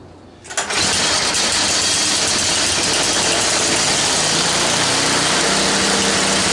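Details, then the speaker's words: Toro 824 snowblower, after sitting a few hours in the shop, primed and choked, on its newly replaced carburetor (was stalling and hard to start): catches within a second and settles into a fast, even, buzzy idle; normal healthy start. "All right, she's been here sitting in the shop for a few hours. I just want to see if she's going to fire up nicely."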